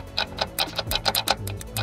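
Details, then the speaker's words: Land Rover Discovery Sport L550 2.0 TD4 Ingenium diesel, recovered with restricted performance message, power loss and cut-out: turning the turbo wheel slowly gives dry uneven clicks and scrapes as the impeller rubs its housing; turbo has collapsed on itself. "we know why it had no power the turbo's collapsed on itself"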